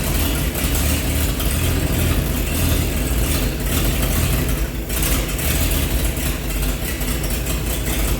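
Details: 1948 Chevy truck engine, not run for 30 years, diesel fuel in the oil pan, new coil fitted: fairly even low rumbling idle with no obvious knocking; running good, slight steam from thermostat housing.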